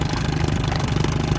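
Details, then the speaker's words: Johnson/Evinrude 7.5hp outboard, built about 10 years ago from junk parts, now fitted with an aftermarket transfer port cover fuel pump, in neutral: quick, even two-stroke putter at idle, no misses or rattles; runs as well as before, float valve holds pump pressure. "So it runs just as good as it did before."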